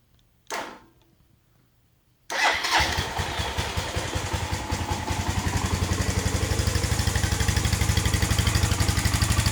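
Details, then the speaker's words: Suzuki GZ250 after head gasket replacement, previously overfilled with oil and fuel from a leaking gas valve: short crank, then catches into a steady, even single-cylinder thump that revs cleanly; starts and runs healthy. "All right, yes. Job well done. It actually revs now. Sounds freaking great."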